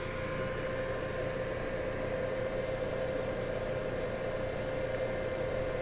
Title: Test run after repair - Servodrive WEG SCA05